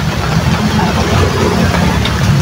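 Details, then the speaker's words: Water pump motor running before bearing replacement, very loud and strong: rough, gritty roar over the steady motor hum without letup; worn motor bearing, to be replaced along with the broken impeller. "Napakaingay niya mga idol. Iwan ko kung bakit meron pang magco-comment na parehas lang daw yung andar pagkatapos na napalitan ng bearing at saka sa hindi pa napalitan ng bearing."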